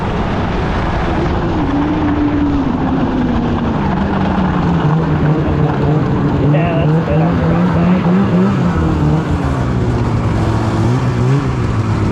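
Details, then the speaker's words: 2016 Polaris Indy 600 SP snowmobile after fuel filter fix, full-throttle acceleration on grass: note climbs and holds strong without breaking up; 66 mph at 400 ft, about 71-72 mph at 500 ft; healthy under load. "500 ft we were still pulling hard and hit a 71 almost 72 so not bad baby not bad"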